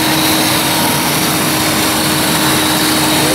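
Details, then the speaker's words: 2007 Chrysler Town & Country with code P0480, after cooling fan relay fix, engine idling with AC on: steady idle under a strong, even rush of fan air with no drop-outs; cooling fans running normally. "Oh yeah, fans are spinning. That's it. That's an easy fix."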